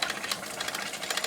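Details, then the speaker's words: Mamod SE2a model steam engine, running again after 40 years, with steam from safety valve: quick light chuffing over steady hissing steam as it comes up to pressure; normal running. "It's going! By goodness! There's a lot of activity here. I hope you can hear me above the noise of the engine."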